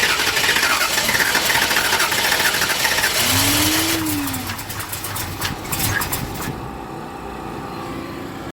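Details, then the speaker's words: Car at Las Vegas Motor Speedway: long laboured cranking at about four turns a second with a whining starter and no firing, while the carburetor is watched; engine cranks but will not start, cause suspected, not confirmed. "and give it a little bit of juice but it didn't even act like it wanted to kick [Music] okay just one more [Laughter] oh this thing just does not want to start"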